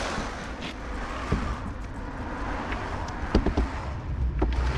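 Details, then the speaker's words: 2010 Citroën C1 rear wheel lifted and spun by hand before hub replacement: low, rough roar from the worn rear wheel bearing hub. "So now we have to replace the bearing here which is warm. I'll put the wheel on it and I'll spin it to hear the sound coming out from it. That's the the sound on worn bearing."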